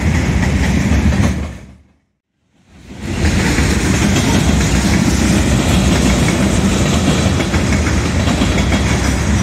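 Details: Southbound CSX freight at South Beech Street crossing, Oxford, OH, accelerating past the last gate: fast steady clickety-clack about four beats a second; onlookers suspect a bad spot in the track, unconfirmed.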